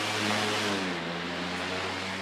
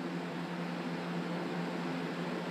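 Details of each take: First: Sunbeam 5-speed stand fan, replacement fan, run on high: smooth steady airflow rush with a low, even motor hum and no rattle or ticking; fan runs healthy. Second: Stand fan running with blades refitted and no guard, after it started making a loud racket and squeaking (likely needs oiling); steady roar over a rough, uneven droning hum; fan blade imbalance.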